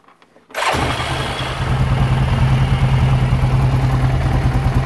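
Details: 2008 Yamaha Rhino 660 UTV single-cylinder engine starts after a brief quiet and settles into a steady, even idle in neutral. Earlier it cut out and ran badly as soon as it was put in gear; a borrowed CDI didn't help, speed sensor suspected.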